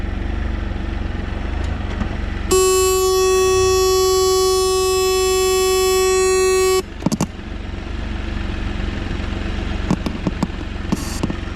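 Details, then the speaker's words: Can-Am Spyder backed out of the garage, GoPro 12 recording: a loud steady high-pitched tone over the radio speakers for about four seconds over the idling engine, then crackling static; radio module fault suspected, before limp mode. "What you'll see in this next segment is where I backed the Spyder out of the garage, and then you hear this high-pitched tone, and then you're going to hear a staticky sound. That staticky sound is coming over the radio speakers."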